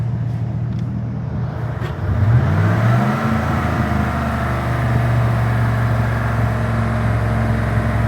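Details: Cold start at about 100 degrees ambient, so not truly cold: engine fires, revs up and settles into a slightly uneven loping idle; cold start misfire on cylinder 2.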